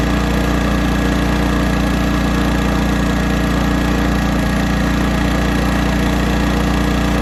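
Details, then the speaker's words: 1980s Honda generator with hard-starting fuel issues, carburetor mixture screw turned out 2.5 turns: a steady drone with a slightly uneven pulse, running lean. "Alright, we're running lean now. Hear the generator?"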